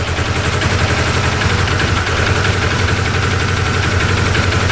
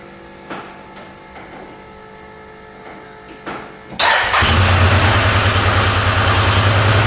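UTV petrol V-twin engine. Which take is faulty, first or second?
first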